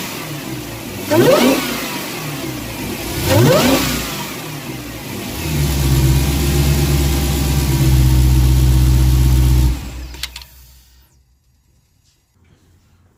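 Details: Dodge Hellcat supercharged V8 with stock air filter, before K&N drop-in: two sharp blips then a long held rev, mild supercharger whine over deep rumble before shutdown; normal blower noise.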